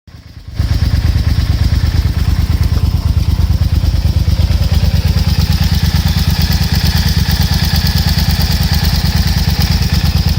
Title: Rattling noise, camchain tensioner fail, yamaha TDM900 RN08